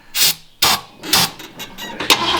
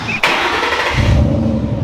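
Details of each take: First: Mustang, possibly not started for about 2.5 years, on starter fluid. Three or four sharp starter bursts, then a rough, hissing crank that never catches; it turns over but won't start. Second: Fox-body Mustang GT, mostly stock with a catback exhaust, not started in a while. A short crank, then it catches and settles into a deep, steady, low idle rumble; a normal, healthy start.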